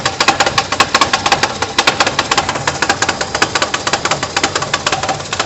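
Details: Fiat Uno 1.3 petrol, 1991, cold start: loud quick steady metallic rattle, about seven clicks a second, from the gearbox area; stops once the engine warms up. Owner suspects vibration or play underneath, not confirmed.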